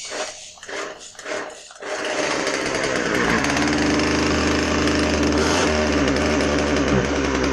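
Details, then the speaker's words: Husqvarna 136 chainsaw after carburetor rebuild, test run: after pull-start rips the two-stroke catches and holds a high buzzing run but won't stay running on the bottom end until low-speed jet is adjusted. Won't idle without carb adjustment. "now during this test run you'll see that uh it doesn't want to stay running on its own on the bottom end"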